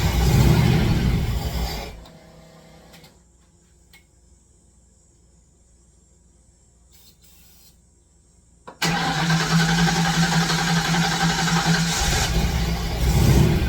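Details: Fox Body Mustang after long sitting, battery on charger, a gallon of presumably good fuel added plus starting spray: starter spins in even bursts, never catches; next step is testing injector signal with noid lights.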